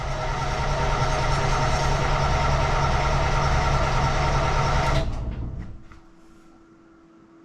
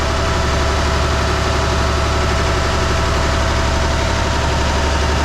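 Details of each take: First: Perkins T6.354 marine diesel just after resealing its CAV injection pump: heavy chugging, uneven for five seconds, cuts out, then catches again; air still being worked out of the fuel system, little smoke. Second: Perkins T6.354 marine diesels after CAV injection pump reseal, warmed up to operating temperature, held at about 1500 rpm: steady, even drone with deep low throb, no knocks or misses, zero pump leaks; normal running.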